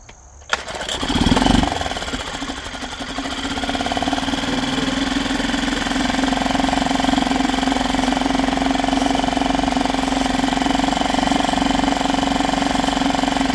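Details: Yamaha 2.5 hp four-stroke outboard after carburetor installation and fresh oil change: catches after a brief crank, then settles into even, steady idle with no knocks or misses; normal start and idle.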